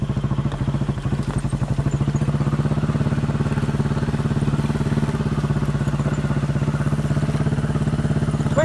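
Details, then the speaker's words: Chinese 200cc Honda-clone quad, warm after about 10 minutes riding, choke half on: quick single-cylinder thump with uneven dropped beats, missing and farting; faulty spark plug. "You can hear it missing and farting. I've got the choke half on now."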